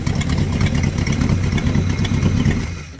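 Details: LM 318 marine V8 boat engine with a 3/4 racing cam, restarted to show how easily it starts. A deep, steady burble with an even beat at idle, then it dies away cleanly at switch-off, a healthy engine.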